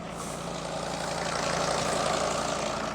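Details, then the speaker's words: Mercedes Sprinter van with 602 diesel, just started after sitting abandoned two years, full tank, oil light out: smooth, even diesel idle with steady quick beat, no misses or knocks; normal idle, "listen to that purr." "You can't knock these things, can you? Listen to that purr. It's my favorite engine."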